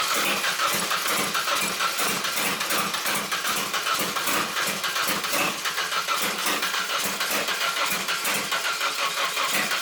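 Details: Drift truck (about 500 hp target) at first start-up attempt with a newly wired coil pack setup and intermittent spark suspected from ill-fitting plugs: rapid, even cranking throughout with no catch or firing; crank, no start.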